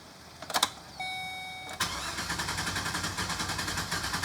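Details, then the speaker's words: 2012 GMC Savana van with misfire and code P0300, cranking: a short chime, then the starter churns at about five beats a second, good for a second and then uneven again. The misfire returns; a valve or lifter problem is suspected, not confirmed. "Did you hear initial cranking? It was good for a second, and then it got bad again."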